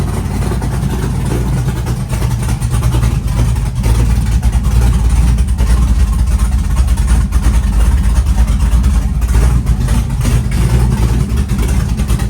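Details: Chevy truck with freshly built LS-swapped big-cam V8, warming up from 75° coolant temp, 65–75 psi oil pressure at idle: choppy loping idle staying even and steady, no knocking; healthy engine.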